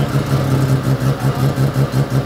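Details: Mazda FD RX-7, confirmed bridgeported rotary, just started for the first time: loud choppy burble with a rapid brappy pulse rising and falling with throttle (about 8 held). Strong oil pressure; sounds strong and healthy.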